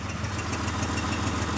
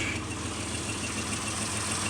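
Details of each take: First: Mitsubishi Montero idling on its own, warm, after earlier rough idle and shaking like a misfire: sharp, even tick-puff about seven times a second over low rumble; suspected exhaust leak. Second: Mitsubishi Montero that previously would not hold idle and shook as if misfiring now sits idling on its own without pedaling; steady, even, smooth hum, no misses, not shaking; owner also hears an exhaust leak and has an emissions check-engine code.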